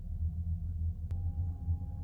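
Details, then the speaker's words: Used Eberspächer D2 Airtronic diesel heater installed under a campervan seat, on startup after glow plug warm-up at about 8–9 A, 12°C inside: low pulsing fan rumble with faint pump tick; normal startup. "being located under the seat means you can hear noise but it's not too loud at all the moment I can hear the pump but then it's it's on its startup so you expect the pump to be making more noise at this stage"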